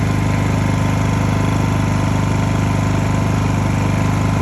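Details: Honda EU2000i (EU20i) generator, eco ("rabbit") mode toggled, after a stale-fuel rough-idle fix; smooth, even idle with a steady low thrum, no misses, surges or knocks. Normal idle.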